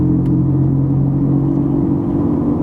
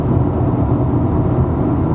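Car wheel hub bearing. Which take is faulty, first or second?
first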